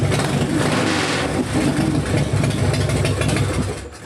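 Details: Harley-Davidson V-twin after wire harness repair, started by tapping a sticking starter relay: deep, uneven lope with strong low thump, rising and settling with the throttle, running cleanly without knocks or misses. Floats reportedly sticking, gas from overflow.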